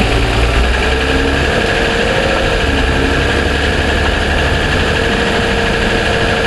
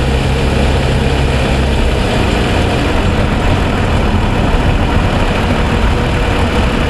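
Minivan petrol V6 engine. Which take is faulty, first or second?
first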